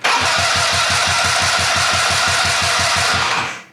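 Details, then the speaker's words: Fox Carbide 150 go-kart with GY6 engine: fast regular cranking that never catches while key held in start, fires only when key released; ignition key switch cutting the run circuit during cranking. "See, right when you let go, so clearly it wants to run. But if I hold it and crank right now, it will not start. But you let go of the key and it fires."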